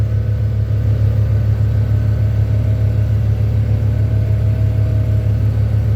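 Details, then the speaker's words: Old Case/Ingersoll tractor diesel (Perkins) after glow plug cold start: deep steady rumble with even low beat, no misses or knocks; tone smooths as it warms over about a minute; normal diesel idle after cold start. "you all hear the tone difference in person once warms up the first stage gets a lot smoother and then the second stage really spools out and that's usually after about a minute or so"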